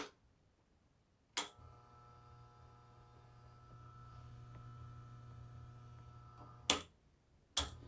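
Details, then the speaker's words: Rancilio Silvia espresso machine, Ulka EP5 pump: valve click, then steady low buzz for five seconds, another click; pump powered but pumps no water from brew head; suspected shorted coil or broken piston spring, pump to be replaced. "hi today we have ranilo Sylvia we'll try to diagnose and replace the pump which doesn't work it makes humming noise but doesn't pump any water out of the Brew head you can hear it"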